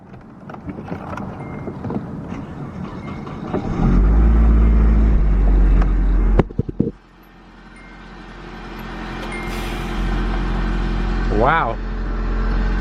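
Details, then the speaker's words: Clean Copart Nissan 240SX S13 coupe with about 100k miles, a 5-speed and a single-cam engine, started on a cold day: it catches, swells, then settles into a smooth, quiet, steady idle with no knocking or ticking. "smooth, clean, quiet."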